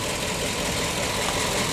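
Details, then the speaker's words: PAZ-672 bus V8 after repair, at idle: smooth, even, soft V8 hum with no tapping or knocking; the earlier knock is gone and there are no leaks. Normal idle. "Мягенький, красивый звук работающего V8. У нас никаких утечек нету."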